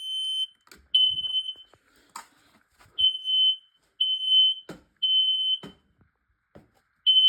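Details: Detector in alarm before any smoke test spray reached it, during a smoke and carbon monoxide alarm test: loud high-pitched beeps in uneven bursts with quiet gaps between.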